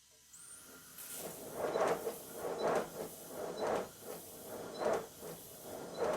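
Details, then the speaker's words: Miniature steam locomotive being recommissioned after sitting with water left in the cylinders, on a rolling road at low pressure: soft chuffs with uneven gaps over a quiet hiss; uneven beats, likely rust still in the cylinders. "this is still not on much pressure that's why I keep blowing the whistle to show you that it's running on low pressure and it's not too bad the Beats aren't terribly even but then again part of the cylinders still probably full of rust"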